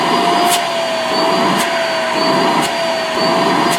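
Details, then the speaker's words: Vacuum cleaner with universal motor on a BN-LINK plug-in variable speed controller at its lowest setting: softened steady hum with even air rush, no roughness; runs normally, less suction than on high. "it's still as suction but not like it does on [Music] high"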